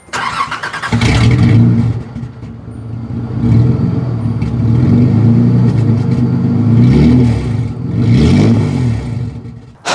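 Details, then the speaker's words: 1986 Nissan 300ZX Z31 after removing a clogged catalytic converter, muffler then blew out: very loud raw raspy exhaust roaring with each rev, no muffling; exhaust leak from blown muffler. "Well, unfortunately now it sounds like absolute garbage. And because the muffler had blown up, I can't drive it anywhere without giving everyone tonitis. And so it is way too loud."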